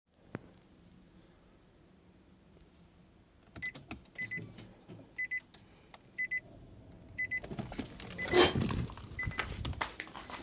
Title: Nissan Leaf 2.gen grinding noise from the heat pump after engine start, only when heatng/AC is on.